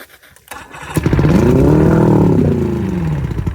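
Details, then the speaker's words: Boat outboard on flush ears after rebuilt lower-leg seals and a replaced water pump, jump-started from a truck: fires up, revs cleanly, goes into both gears, settles back with an even beat, no knocks or misses, water pumping out, healthy. "all righty so as you saw there it was running rived up went into gear in both spots and there was water coming out of here which means the water is getting pumped up up there"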